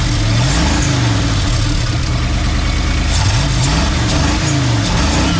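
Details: 1990 Ford F250, 351 5.8 V8, 3-inch exhaust, cat delete, junkyard build, cold morning: even low V8 burble at idle under music after starting with slight delay, no misses or knocks.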